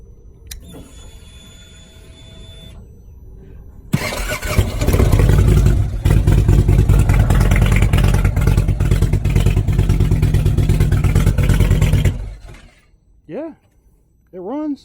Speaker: Wow, that thing sounds good, boy. That thing sounds real good.